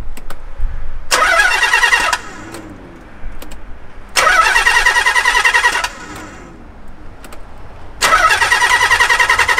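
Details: 300bhp garage-find car unused for 14 years: three separate bursts of steady starter cranking at normal speed, about 1.5 s each, never catches; crank no start, owners suspect old fuel.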